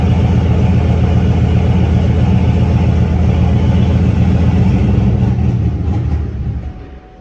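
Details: Big-turbo C6 Corvette V8, first fire-up on Holley EFI: deep, loud, lumpy idle beating about four pulses per second, steady until shutdown; idling acceptably.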